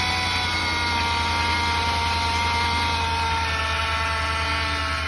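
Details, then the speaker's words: 2020 Ram 5.7 eTorque: a constant turbo-like high whine over the engine hum, heard every time it accelerates. A failing idler pulley bearing is suspected, before the pulley is swapped. "Can you hear that? Kind of whiny, and every time I accelerate. Almost sounds like I got a damn turbo on the thing."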